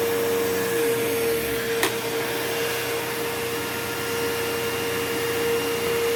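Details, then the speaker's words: Curb-find old Bissell PowerForce Bagless 6594 upright vacuum, first switch-on before refurbishing; steady hum with fan whistle, no rattle or scrape, bearings okay, fan balanced, no buzzing: worn but serviceable motor, fan to be checked for gunk. "Okay, so motor's not, it doesn't sound brand new or anything, but for a old bagless Bissell motor, that is perfectly passable. So I will open it up to the motor, probably, and see if there's anything gunked up in the fan. The bearings sound okay. The fan isn't off balance."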